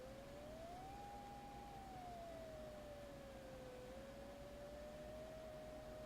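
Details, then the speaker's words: Elecraft K2 kit, side tone set to STP 0.60 (600 Hz), speaker held to the mic, pitch varied with the VFO between 400 and 800 Hz. A clean single tone glides up to about 800 Hz, then back down and settles near 600. Normal side tone. "hold the edit to turn on the side tone. And you can hear it again. I'll hold it up to the mic."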